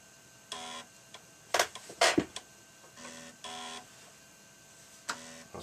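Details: Amstrad CPC 3-inch disk drive after its drive belt was replaced, loading a game. Short buzzing bursts of drive motor and head seeking with quiet gaps between them; loading evenly, healthy.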